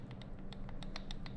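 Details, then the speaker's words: Airsoft Mk18 AEG gearbox build: rocking gear with small screwdriver to check tolerance gives quick light clicks, about eight in a second and a half; side-to-side play, needs shimming. "You hear the click, some side-to-side movements, okay. So that's how you check your side-to-side and your motor height."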